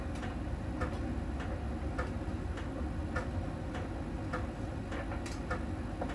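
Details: Miele tumble dryer during drying: light sharp ticks about every half second over the low drum rumble, from a small ball sensor touching a contact spot on the drum each turn; normal, per the Miele technician.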